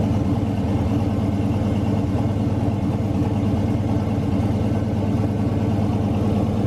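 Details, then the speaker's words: Turbo V8 street truck on E85 after turbo rebuild, with restrictor fitted; deep even burble at steady idle, smooth regular pulse, turbo spins easily with no rubbing or whistle: normal idle. "sounded real good but it still spins nice and easy I don't hear it rubbing on anything so I'm not worried about that"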